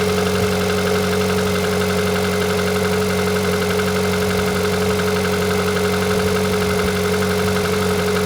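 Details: Engine at 160,000 km: a faint, fast, regular knock over a steady hum, heard even inside the cabin at high rpm; origin unknown.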